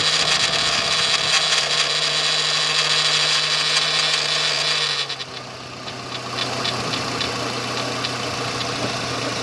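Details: Renault Espace III 2.0 16v at idle: a steady idle with a regular tap about three to four times a second over a hissy top end. Abnormal engine noise, cause unclear.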